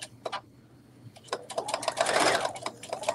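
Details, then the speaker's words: Sewing machine stitching with a deliberately dull needle installed as a demonstration: uneven hard thunks and clicks about four per second, each a hard punch, the clicking stage that signals the needle needs changing. "can everyone hear that thunking thumping sound it's like that clicky sound that does not sound good"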